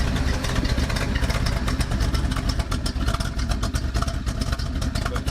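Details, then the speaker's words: 1976 Ford Ranchero 500 V8 at lumpy idle, heard from under the car. The exhaust pipe joint, patched with 4-inch band clamps, still leaks, giving a sharp puffing tick on each firing pulse. Exhaust leak; tuning and timing still to be done. "and I had some band clamps, I just 4-inch, and they still leak. I mean, we'll fire her up."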